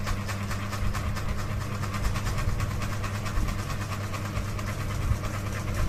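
A fast, steady rhythmic thumping rides over a low hum, even and repeating; the fan is out of balance and wobbling as it spins.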